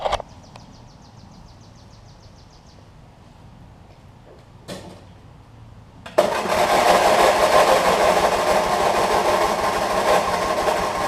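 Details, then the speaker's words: Craftsman LT1000 riding mower with a swapped-in opposed-twin engine, started after adding gas: a few clicks and a short crank, then it catches and settles into a smooth, even idle. It runs healthy; these twins need a well-charged battery to crank. "it runs good here"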